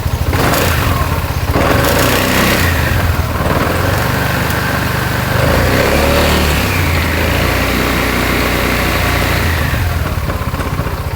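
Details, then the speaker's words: BMW C400GT/C400X scooter, around 3,000 km, idling before side-case (CVT) modification: light uneven clatter from the belt-drive side over steady engine hum, a known normal noise of this model. "เราจะมาแก้ปัญหาอะไรนะอ่าชุดข้างดังครับชุดข้างที่มันมีเสียงดังเป็นปกติของตัวนี้เออของc400Cเอ่อc400GTc400xนะครับที่มันมีเสียงดังปกติอยู่แล้วอ่ะด้านข้างชุดข้าง"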